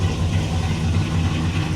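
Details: 1957 Chevrolet Bel Air V8, cold start in a shop at about 66-68°F: deep, steady burble with even low rumble and no knocks or stumbles; normal cold idle.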